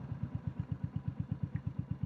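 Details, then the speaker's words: Royal Enfield Classic 350 WarHorse, started stone cold after earlier cold-idle problems, now warming: even, steady single-cylinder thump at about eight beats a second, no knocks or misses, idling slightly higher than at start; normal idle. "It's actually idling a little bit higher now than when it started."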